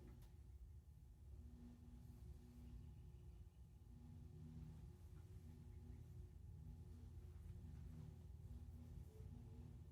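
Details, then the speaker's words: 1942/1949 Hunter R-52 antique ceiling fan with a 3-speed coil, on the low pull-chain setting, hums low and steady with a faint startup whine as it comes up to speed; normal low-speed running, 93 watts, 0.44 power factor. "Got quite the startup whine. We'll definitely hear that in 0 to high."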